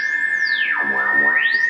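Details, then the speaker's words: Archer Klon-style overdrive into Strymon Mobius flanger patch, gain up, through the amp: loud steady high whistle with sweeping tones, far louder than the Ponyboy's very low noise; charge pump heterodyning with the digital effect. "pretty ridiculous how loud it is in comparison."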